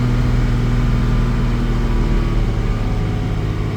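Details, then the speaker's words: 1987 Jaguar XJ-S 3.6 manual with a misfiring problem, after a 1-hour test drive: steady, even drone at about 3000 rpm with no stumbles or gaps; trouble is only below 2k. Normal running at 3000 rpm. "So no real problems between 2 and 3 and above."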